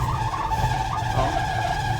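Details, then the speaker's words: 1980 Dodge W200 3/4-ton 4x4, under 54,000 miles, needing a tune-up: steady high-pitched squeal over the idling engine while turning; power steering squeal when turning. "it needs some tun in big time but I haven't had time to do that power steering is absolutely atrocious"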